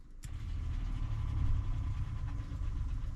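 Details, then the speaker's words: RV, newly installed Seaflow 12 V water pump, first power-up: a click then a short low, even motor drone as it pressurises the lines, no labouring or rattle; normal water pump operation. "okay we heard the pump kick on for just a second there now we know that the lines are pressurized right now"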